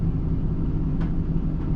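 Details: Nissan Titan with a complaint of multiple misfires, warming up: a deep, uneven idle rumble with occasional stumbles. It is running rich and the mass airflow reading looks high; cause suspected, not confirmed.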